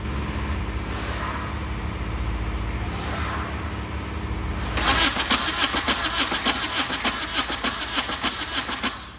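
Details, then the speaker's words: VW diesel-swapped Suzuki Samurai, injectors loosened to check delivery: even starter cranking about three and a half beats a second that never catches; no fuel from injectors, ether smell, owner suspects injector pump not injecting. "No fluid coming out of the... I smell ether. So I think the injector pump is not injecting."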